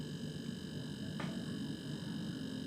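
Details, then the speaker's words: Sharp single-door fridge not cooling: evaporator line to compressor cut, manifold connected, compressor run to test discharge pressure, climbing 250 to 350 and reaching 400 PSI; steady quiet hum with faint even buzz, no knocks, compressor judged good. "400 PSI nyampe ya teman-teman oke sepertinya kompresor ini bagus sih"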